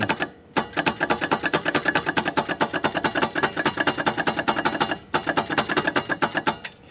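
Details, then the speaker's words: Cub Cadet M48 Tank zero-turn mower, sitting since 2016, battery charged: sluggish uneven cranking clicks, five to six per second in two bursts, engine never catches; starter dragging and weak, failing starter motor. "I went to look at it infected made sure there's no starter is going out on this thing"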